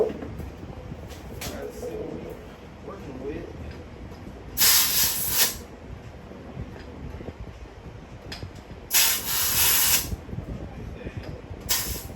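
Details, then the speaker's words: Go-kart (red two-seater) tire: sharp bursts of loud hissing every few seconds as air escapes; sounds like a big hole, tire air leak. "I was hoping I got lucky but I didn't sounds like it's a big ass hole too"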